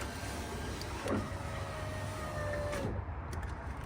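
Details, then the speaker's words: 2000-2006 Chevrolet Tahoe driver front window after new motor and regulator installed, tested with glass; one smooth steady whir about two seconds with a clean stop; normal power window operation. "All right, let's go ahead and test it out now with the glass. That looks good."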